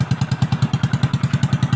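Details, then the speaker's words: Kick-started motorcycle after repair of engine damaged by running dry of oil and flood water (bearing had eaten the side of the bearing set): deep, loud thumping exhaust over a steady idle; engine runs fine, noise is from the cut-off exhaust pipe. "Perfect. So maingay lang yung tabutso dahil putol yung tabutso."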